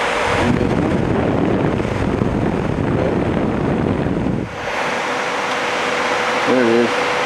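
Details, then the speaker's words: Texas Star DX500 amplifier converted to a Scorpion DX400 sleeper with a dual fan kit of 2-amp fans and a power wire upgrade, about 14.5 volts, fan on high, then the speed switch is used. Steady rushing air that drops as the speed changes; fan running normally. "So, all right, bud. We're in about 14.5 volts. I got the fan on high. You can hear it."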